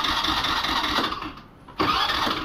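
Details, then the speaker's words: Pleasure scooter that won't start: electric starter whirs, fades, pauses, cranks again without catching; kick start also fails; mechanic suspects a compression problem. "Self भी हम apply कर रहे देखो ब गाड़ी start नहीं हो रहा"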